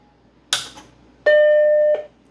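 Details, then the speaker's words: Macintosh 512K with socketed logic board, after repair, running outside its case: power switch click, then a single clean, sustained startup chime; board now stable when tapped. Normal startup chime. "Listen to that. Happy Macintosh, or at least the startup chime."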